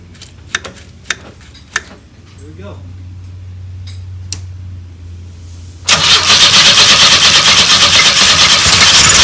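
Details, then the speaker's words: 1984 Pontiac Fiero, first start attempt in over 30 years: clicks and a low hum, then the starter churns steadily without firing. No fuel coming from the tank; the fuel pump is most likely dead, and a fuse still needs checking. "well we got no fuel coming from from the tank and most likely the fuel pump's dead but there's a fuse somewhere I got to figure out where that is"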